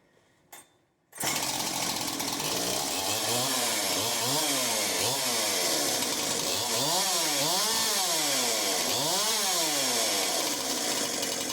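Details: Husqvarna 372XP chainsaw after rebuild; catches right away and revs up and down about every second, rising and falling cleanly without stumbling; runs properly.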